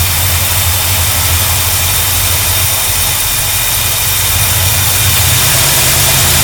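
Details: 1972 GMC Sierra Grande with newly installed replacement V8: steady, even idle, smooth low rumble, no knocks or misses; healthy normal idle.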